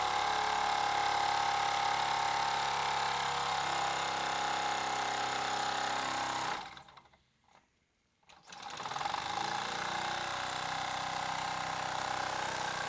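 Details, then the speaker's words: Mamod FE1 live steam model fire engine fired on fuel tablets, desk test with the boiler at good pressure. A fast, even ticking beat of about three and a half strokes a second, steady throughout, at about full RPM. Normal full-speed running. "And finally, it's pretty much at full RPM, and you can see just how quick the flywheel and the piston is moving."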